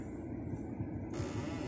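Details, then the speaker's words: 2023 Hyundai Accent: dry, uneven rattling under the dashboard when the air mode switch is operated; suspected faulty air mode door actuator. "Ayan po inyo pong naririnig mayong rattling noise Dito banda sa may ilalim ng dashboard"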